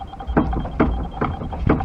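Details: Fiat Uno Mille steering knock, wheel rocked by hand using an extension bar; four dull knocks about every half second; the tie-rod end moves slightly but the knock comes from inside the steering rack, felt through the steering and sounding like front suspension.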